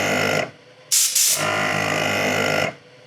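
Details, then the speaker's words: Onboard air compressor with small tanks on Toyota Tacoma truck camper: fan on, then brief even motor buzz of about two seconds with air hiss as it refills tanks and shuts off; normal. "But kick it on, hear the fan, and now if we use it, and it's just long, it'll run that compressor just long enough to fill these little tanks."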